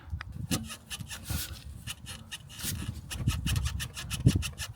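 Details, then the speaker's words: Vauxhall Corsa front suspension rocked by hand, with irregular creaking squeaks and dull knocks from excessive play in the worn strut top mount bearing; it caused wandering and unstable driving and needs replacement. "can definitely hear it squeaking, and hopefully on camera you can see the movement. So we're definitely going to need a strut top mounting."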